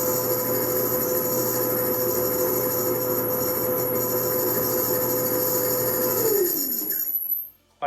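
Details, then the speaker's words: Maytag Bravos Quiet Series 300 dryer runs with a steady high squeal over the drum rumble, fading as it stops, and worsening over time. Cause: worn idler pulley, replaced. "the issue with it is this cute hear that squeak and it will get worse and worse as it goes it's actually not as bad but pretty bad"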